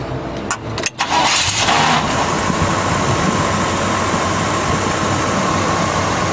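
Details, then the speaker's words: Traded-in 1983 Chevy K10 4x4 pickup, said to run and drive great, restarted to show how easily it cranks: brief crank catches within a second into a smooth, steady idle with no stumble or miss, no smoke; healthy start. "We're going to turn it off, crank it back up again, show you how easy it cranks."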